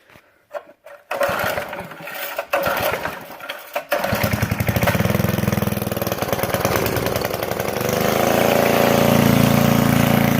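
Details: 1990 Craftsman GT6000 18 hp opposed-twin flathead after carburetor cleaning, new spark plug and air filter: a few short cranks, then it catches and settles into a steady twin-cylinder putter that picks up slightly; runs fine.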